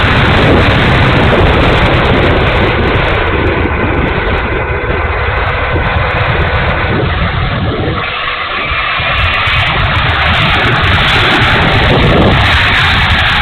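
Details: E-flite A-10 Thunderbolt II RC jet, twin 64mm electric ducted fans: loud rushing roar with an uneven, fluttering rasp rising and dipping; motor sounds bad, rough and noisy, cause unknown.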